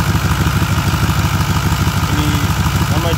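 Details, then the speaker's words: Ford 6.4L Powerstroke diesel truck, slightly cold morning start after glow plug cycle: quick clean crank, then steady idle with a light regular tick about twice a second over firing pulses; truck won't build boost, blows black smoke, back of block sooty; tick source unconfirmed. "sounds good on crank very quick no stuttering and for the most part it sounds good now you can hear that ticket"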